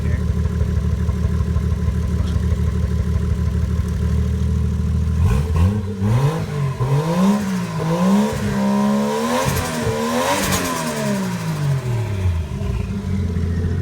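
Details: Nissan 240SX S13 with a 1JZ engine swap, running before its first drive after a fix improved running: steady idle then several clean blips, pitch climbing and falling smoothly without hesitation, engine picking up and settling properly.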